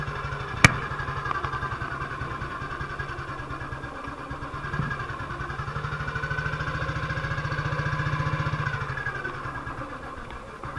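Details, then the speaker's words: 1958 BSA C12 single-cylinder on a road test after a misfire fix; the misfire had earlier caused a breakdown, and the battery tested fine at 6.3 V. Even thumping, pulling up smoothly under load with no missed beats or popping. Sounds like it used to: normal running. "but it went all right sounds like it used to so for the misfire"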